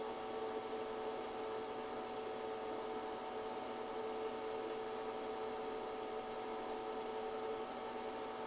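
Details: ChocoVision Revolation 2B chocolate tempering machine, 0.68 kg (1.5 lb) capacity, 220/110 V, melting chocolate toward a 108°F melt point over roughly 20 minutes: steady even motor hum, constant mid-pitched tone, no knocks or surges; running normally.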